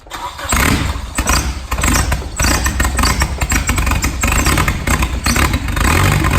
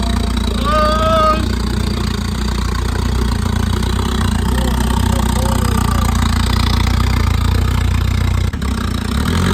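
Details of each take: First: Nissan Bluebird SR20 with a DIY turbo kit: the engine catches and runs rough and uneven, not idling properly, and revs never pick up; no throttle response, throttle linkage detached. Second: SR20 Nissan Bluebird with junk turbo kit, after reattaching loose throttle linkage: idles then revs cleanly with faint rising turbo spool whistle; normal revving, possible boost leak suspected.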